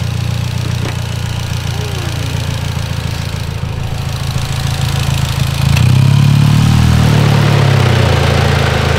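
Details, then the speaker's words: Mitsubishi Evo X after AMS fuel rail install: uneven, loping idle with wavering low rumble that dies out and stalls; owner first suspected unmetered air, later found the missing intake shield let AC airflow upset the MAF sensor. "oh there it is it shut off it's taking it's taking an air from somewhere definitely it's not a good thing"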